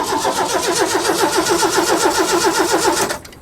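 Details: Roughly 40-year-old Ford: starter cranks steadily at about four turns a second for roughly three seconds, never catches, then stops; crank no start.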